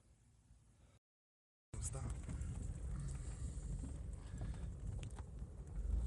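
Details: 1995 BMW E34 525i 2.5 L (owner thinks M50): steady, even low idle that revs cleanly with no stumble. It misfired with no check-engine light until spark plugs, coil-pack studs and coil-pack boots were replaced. Normal running after repair.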